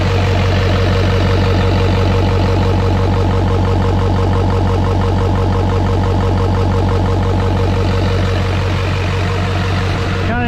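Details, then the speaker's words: LLY Duramax diesel, first start after new turbo, exhaust and intercooler, no coolant yet: steady, even idle with regular clatter and an open intake rush, turbo inlet not yet connected to the intercooler; nothing abnormal. "that's kind of having an interesting noise because you can hear the intake side of it because it's not hooked to the intercooler"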